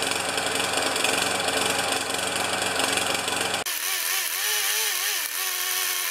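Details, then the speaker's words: Older Murray mower, 158cc Briggs & Stratton Classic engine, after fitting a J19LM spark plug: stumbles with an uneven, ragged beat instead of a clean run; running really poorly, owner will change the ignition coil. "it's running really poorly uh so I am going to change the coil"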